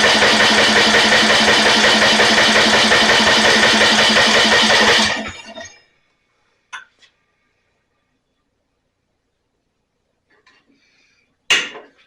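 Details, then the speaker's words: Snapper 28-inch riding mower, 12 hp Briggs & Stratton with electric start, hard starting: fast even starter cranking for about five seconds with no firing; no spark suspected, possible water in fuel, spark plug to be swapped. "sounds like we don't have any spark let's take the spark plug out"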